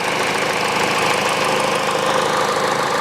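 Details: Peugeot 408 2012, 1.6 petrol, automatic, 87,000 km: after replacing the stretched drive belt (DAYCO 6PK900), an even idle hum with no knock or rattle, and the tensioner no longer shaking. The stretched belt had caused the noise.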